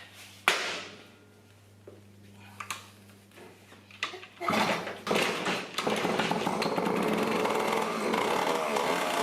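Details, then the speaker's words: 1980 Yamaha GT80 two-stroke mini bike, first start after a long sit, carb and gas tank cleaned, no air filter fitted yet: a few kicks and clatter, then it catches and settles into a steady buzzing run; seems to be running good, normal. "Make sure it's running right. I can't hardly tell. It seems to be running good,"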